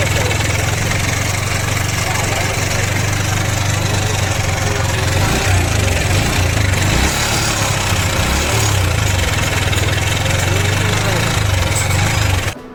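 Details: Yamaha R15 V4 single-cylinder motorcycle with engine noise and missing at idle. A busy mechanical clatter sits over the low thrum, traced to a worn timing chain, cam bearing and rocker. The fix was replacing the camshaft and rocker.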